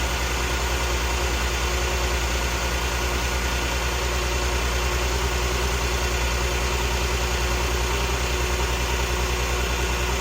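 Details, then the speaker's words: 2013 VW CC 3.6 direct-injection engine, freshly rebuilt, just after first start: smooth, even idle with steady low hum and no ticks, knocks or stumbles; healthy, purring. "Direct injection. Oh, it's purring. Oh, she's purring."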